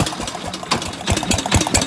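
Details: Gravely 816S with a 16HP Briggs single-cylinder engine and a Chinese carb, started after a month unused: steady pop-pop idle with no rattles or misfires; sounds good, normal idle.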